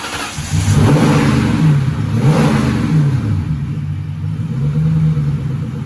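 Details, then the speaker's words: 1997 Cobra first start after an oil change, new coils and wires, and a carb-cleaner-cleaned throttle body, with a K&N intake and new fuel filter fitted. It catches after a brief crank, revs, then settles into a steady, even idle; healthy. "Alright, so far so good. Started up pretty good. It took a second for it to crank over because we had cleaned that throttle body, sprayed a bunch of carb cleaner up in there."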